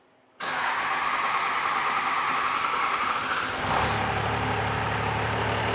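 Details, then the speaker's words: 12-valve Cummins diesel truck, cold start after grid heater cycling, governor and idle springs being adjusted: low, slow idle around 600 RPM that sounds soft, weak, lacking bark. "it sounds a little soft yeah it doesn't idle that strong it's not got a lot of bark to it"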